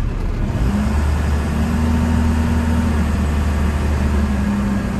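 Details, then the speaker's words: 1993 Dodge Ram W-350 4x4, 12-valve 5.9 Cummins, 51k miles, braking while slowing around a hill: steady low drone, no squeal, grinding, shudder or vibration; firm pedal, stops straight without pulling; brakes quiet and normal. "don't make any noise they don't squeak they don't shutter vibrate or anything like that when you're on the brakes stepping on the brakes just brings the truck to a stop without any problems"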